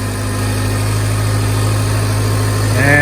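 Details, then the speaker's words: 2014 Range Rover Evoque after replacing the faulty cooling fan control module, whose fan had run constantly and drained the battery: steady, even low idle hum with no fan roar. Normal idle, cooling fan now off. "seem to have solved our problem Fan's no longer running when it doesn't need to"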